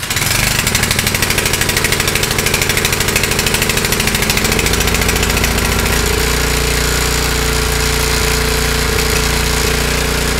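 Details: Honda snowblower engine after cleaning a plugged carburetor jet; it had only run on full choke and stalled without it. Now fast, even single-cylinder firing with crisp exhaust rattle, running smoothly.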